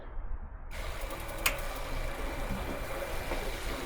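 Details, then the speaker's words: New off-brand Wasserman hot tub recirculation pump, 5 gpm, about 5.5 PSI, first start: short silence, then a soft even low hum with a faint steady whine as it primes and flows; much quieter, running normally. "and that is so much quieter takes a little bit to prime it but then it starts flowing there we go it's working good now"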